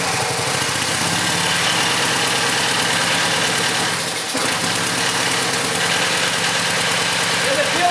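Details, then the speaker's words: Lowe's-returned pressure washer small engine chugs at an even low idle regardless of engine speed control setting and won't rev up under load; stuck at idle, cause suspected, not confirmed. "the only problem i've noticed so far is that no matter where i set the engine speed control it just wants to idle"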